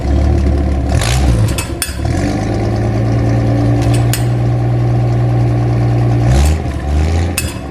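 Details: Old, hard-used stock engine in a rat rod with worn stock carburetor: cranks, catches and settles into a lumpy, throbbing idle with a short blip; no blue smoke, running rich from the worn carburetor.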